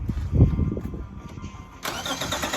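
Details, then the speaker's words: 2006 Subaru Outback 3.0 H6 that would not turn over, just after a new starter was fitted: short starter whir, engine catches cleanly within two seconds and settles into an even idle; normal start, fixed. "oo perfect nice we're fixed"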